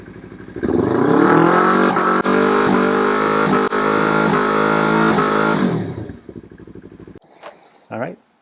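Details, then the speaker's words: Yamaha YZF-R3 with a newly installed HM Quickshifter Plus SS, upshift test from 6th gear: revs climb hard, then break off into a stuttering fade as the module senses the shift rod and cuts ignition; working correctly. "You could hear the ignition cut off from 6, 7. The HM Quickshifter module was intercepting that movement on the shift rod and sending the cutoff signal to the ignition, and that's why you could hear the difference in the sound of the engine."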